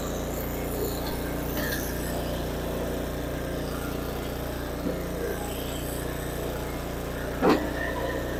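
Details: Snow blower small single-cylinder engine after fuel line replacement and carburettor cleaning, started on choke after priming, holds an even, steady idle with no misses or surging; normal running.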